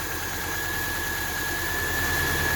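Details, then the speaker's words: 2000 Subaru Outback, almost 200,000 miles, just after adding engine restore, radiator stop leak and Sea Foam: starts right away and idles quietly with an even hum and faint whine, and the earlier valve tap is no longer heard. "now starts up right away unlock the doors that sounds pretty good i don't hear that valve tap"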